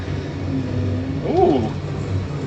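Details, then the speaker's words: Farm sprayer engine after a squeak was fixed with an access cover removed: a steady, even low drone with no squeal or chirp. It is running smooth and healthy after the repair. "listen to that not even squeaking nice and smooth oh man I've wanted to fix that for ages"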